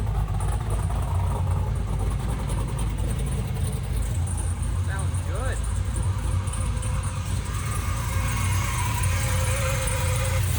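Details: 6.0 swapped Camaro first start-up: engine fires and settles into a steady, even low rumble with no missing or stumbling beats; running properly.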